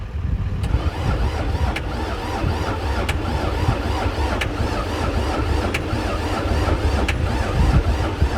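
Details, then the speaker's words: Diesel skid steer that sat for years, cranked via jumper cables from a diesel truck, fuel reaching it: slow, labored cranking with a steady low churn and regular ticks, drawing enough current to melt the cable plastic, never firing; cranks but won't start. "but as you hear it's not even it doesn't sound like it's even trying to fire um it's definitely taking a lot of ampage because it's starting to melt the plastic on these jumper cables but it doesn't want to fire"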